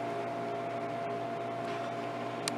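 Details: Vending machine after finding a bad temperature sensor: compressor running with a steady low hum and constant mid tone, no knocks, rattles or cycling; normal, temperature reading 90°F and dropping one degree already.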